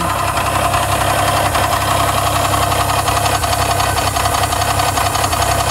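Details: 1992 Geo Metro engine after losing its oil pump: steady fairly regular knock over the idle, about three per second; rod knock from oil starvation.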